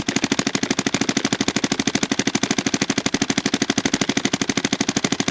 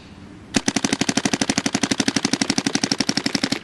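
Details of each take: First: DYE DSR+ paintball marker efficiency test, tank around 900 PSI and dropping: fast crisp string of pops about three per second, fairly even, trailing off; firing normally with pressure. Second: Dye DSR+ paintball marker efficiency test, tank down from about 900 PSI and getting real low: fast sharp pops about four a second, growing uneven as velocity drops and shot sound changes; marker running out of air.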